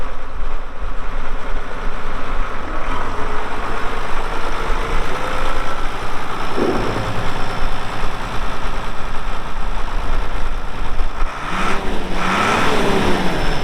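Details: 1979 International 986 2WD cab tractor diesel, about 3,200 estimated hours (meter reads 2,321, not working), light use on ~50 acres: deep steady rumble, even firing, picking up cleanly near the end; runs great, normal running.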